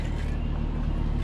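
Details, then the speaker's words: 2003 Dodge Ram 1500 Hemi idling after the idler pulley was fixed and the belt reinstalled: a deep, steady rumble with the earlier whining, chimey bad-bearing noise gone. "yeah you don't hear that whining noise anymore you don't hear that that kind of a chimey noise coming from a bad bearing so we got that taken care of pretty quick fix"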